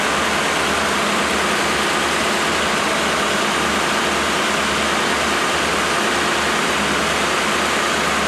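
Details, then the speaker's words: Freshly rebuilt 1987 Mercedes 560SL M117 V8 at its first break-in after 16 years idle. A smooth, even, hiss-like quiet idle, no knocks or misses; so quiet the chain tensioning is audible. Normal idle. "The actual engine is so quiet that I can hear the chain tensioning."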